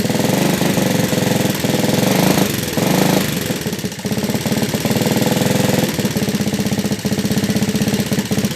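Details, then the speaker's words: Yamaha Vega ZR small single-cylinder smoking engine: rapid sharp ticking clatter on every firing stroke, loud like a sewing machine; heavy top-end noise, engine to be dismantled. "Vega ZR, suaranya hancur kayak suara mesin jahit dan berasap."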